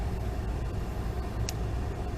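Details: Blower motor on a vehicle, just after the blower and resistor connectors were spliced and replaced. On cold air, face vent: a steady airflow rush over a low rumble with no squeal, rattle or ticking. This is normal blower operation and a confirmed fix.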